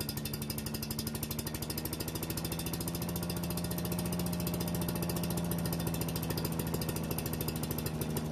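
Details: Yardman leaf vacuum/mulcher small single-cylinder engine after carburetor work and reassembling: quick, even putter without misses or surging, running smooth and steady, warming up for an oil change.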